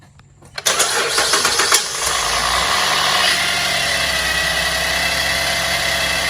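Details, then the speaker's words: 2010 Chevy Traverse after cleaning the power steering reservoir and topping up with full synthetic fluid: engine starts and idles with a faint steady high whine, much reduced but still present from the power steering pump. "Okay, guys, I just topped it off. The noises went down quite a bit. It still got some whine to it."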